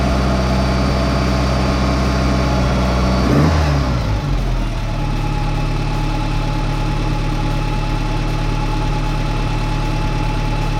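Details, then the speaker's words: 30-year-old engine after Weber carburetor refitted and secured: after a brief blip it settles into a smooth, steady idle with an even low hum, no stumbling or hunting; runs well before test drive. "so far so good sounds like she's purring like a kitten as good as i expect this 30 old engine to do"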